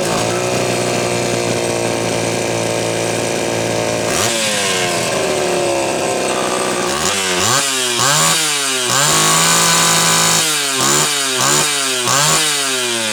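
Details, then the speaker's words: Homelite Super XL chainsaw test run after a loose cylinder nut (cylinder gasket issue) and filed, gapped points. Crisp two-stroke buzz revs cleanly, repeatedly drops under load while cutting and picks straight back up; normal running, retune from slightly lean underway. "that went well okay it's gotta be close we're retuning a saw after you've had a you know event like the cylinder coming loose to where it's probably been slowly gotten out of tune over time"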